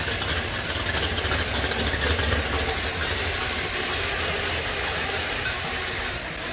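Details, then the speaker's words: 1969 Boss 302 V8 engine, warming up on a cold, damp day: strong, even rumble at idle and while revving, with a faint whir from its quiet gear drive riding on top; runs great, no oil leaks; normal idle and revving. "It does have a gear drive in it. You can hear it a little bit. It's a nice quiet one. It's not one of those real loud ones."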